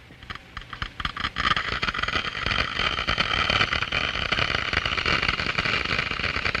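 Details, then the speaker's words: Water flowing through a glass venturi: scattered pops build into dense gravelly crackling as flow rises and the low-pressure throat boils; vapor bubbles collapse in the higher-pressure diffuser, cavitation noise. "The noise is generated by the collapse of these bubbles as they move into the higher pressure in the diffuser."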